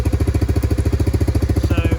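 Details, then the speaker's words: Three-wheeler 250R. Quick, even two-stroke putter at a steady idle with no misses or surging. Clean normal idle. "Yes, sir. There she is. Runs like"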